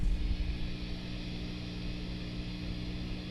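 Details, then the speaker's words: Fender Bassbreaker 15 tube amp, mic held close, one tube suspected bad before retubing: steady low hum with soft hiss while idling; noisy amp, source not pinned down. "but I don't if we can hear this here not there's a hiss let me pull this mic up close to it you can hear what's happening"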